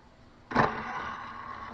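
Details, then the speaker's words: Sony DRX-500UL external DVD/CD rewritable drive, bought 2003: sharp clack, then about a second of tray-motor whirr; the tray ejects and then retracts by itself unless the button is pressed again, cause unknown. "yep some reason jesus hit it it goes right back in again unless you hit the button again"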